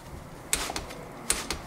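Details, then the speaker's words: Torque wrench set to 20 on a tight bolt: two sharp metallic snaps about 0.8 s apart in a quiet room, the wrench clicking over at its set torque; tightening done. "we then we wait that we hear this click in that tool. This to friends tool makes sound click. Okay. And that this is the sound."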